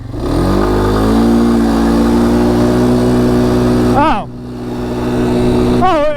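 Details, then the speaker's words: 2022 Polaris Phoenix 200 ATV that has had trouble starting, idling and accelerating since new; revving from a standstill gives ragged popping and misfiring through the pull until speed builds, with intake backfiring. "it just it doesn't sound healthy it's popping and misfiring and just waiting until we get up a little bit faster"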